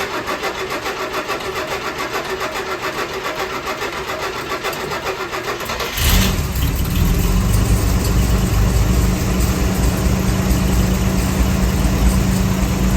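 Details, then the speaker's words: Chevy 250 straight six after EGR tube delete and charcoal canister removal, smog pump long deleted: starter cranks, engine catches at once and settles into a steady, even idle with no misfire or stumble; normal idle. "I'm about to take off, so I'm just gonna start it up, see how it runs, let it idle out here for a little bit, and then I'll be driving it for the rest of the day."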